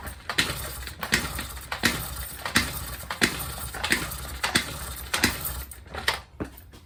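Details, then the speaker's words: Honda NC50 Express 50cc scooter, cold day, after starting fluid sprayed into intake: slow irregular kick-over strokes with no firing; flooded with too much starting fluid, spark plug wet, spark confirmed. "Oh yeah, I think it's flooded. Probably sprayed a little bit too much. Spark plug's all wet."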